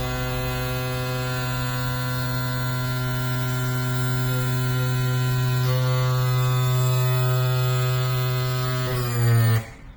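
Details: Yamaha F40 outboard power trim motor, previously slow and loud, after repair with trim cap torqued to 90 Nm: steady low electric hum with strong buzz for about nine seconds, then clean stop; runs smoothly, normal.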